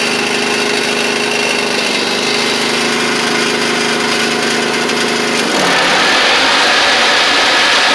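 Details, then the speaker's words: Huskee Supreme riding mower running with the deck engaged, spindles without grease fittings and guards now fitted: constant whirring from the deck that harshens with load; the left spindle bearing was later found to be the noisy one. "spindles I will admit are a little bit loud but they don't have any grease fittings and stuff on them"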